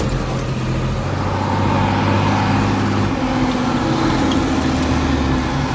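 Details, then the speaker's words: John Deere 4755 side-exhaust tractor, driven on the road after a complete Powershift transmission rebuild, top speed 30 km/h: deep, steady diesel growl under road load, no knocks, grinding or driveline whine; normal running. "She certainly growls. I don't know if it comes across very well on the video, but it's pretty pleasing."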